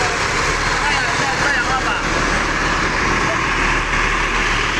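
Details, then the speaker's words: Bus diesel engine at idle: slightly uneven, limping beat under the steady clatter; rough running, suspected contaminated or mixed diesel fuel, cause unconfirmed. "hai ini memang suaranya agak tersendat-sendat ya teman-teman ya tuh ini ya denger suaranya agak pincang"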